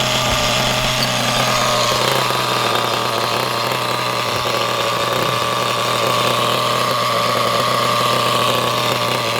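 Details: Normal running of a used HPI Trophy nitro RC buggy after adjusting the idle screw by ear: high, steady buzz, no misses or surges, idling a touch fast but smooth.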